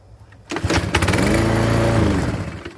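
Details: Husqvarna commercial mower that wouldn't start, after adjusting bail cable movement (recurring belt problem): one pull fires straight away, runs smoothly and evenly, then winds down cleanly; starts and stops correctly.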